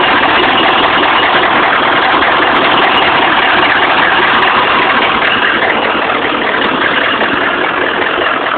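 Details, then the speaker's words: 1995 6.5 diesel with injection timing reading jumping to 25.5: smooth idle with hardly any usual clatter, abnormally quiet. Owner suspects a faulty crank sensor or optical sensor causing the timing shift. "see now the engine's really quiet again here show you how quiet it got"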